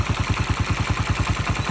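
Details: 1995 Honda Win 100 single with a fresh rebuild (piston, connecting rod bearing, clutch, gearbox) and a new valve job, local aftermarket muffler: crisp, regular putt-putt at a settled idle, no tapping or rattle. Nice idle after the valve job.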